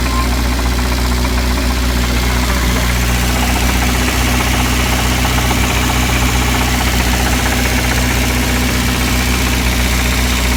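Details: Ford Fiesta Supersport with a 1660 Burton crossflow petrol engine idling with a steady low drone and a faint, uneven knocking tap; cause not identified.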